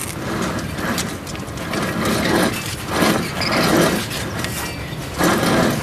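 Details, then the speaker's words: 2007 Chevrolet Silverado Classic 3500 Duramax front sealed wheel bearing hub assembly, spun by hand with the brake disc removed, gives a rough gritty grinding as if dirt is inside: a worn bearing, replaced as a whole hub. "Can you hear the bearings where they're bad? Almost sounds like there's dirt in them."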